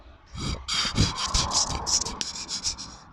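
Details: Audi/VW driveshaft inner CV joint, worked by hand near the mic during outer CV and torn boot replacement. A dry, uneven scraping rasp comes from the grating inner joint. The owner worries that dirty grease passed through the linked boots.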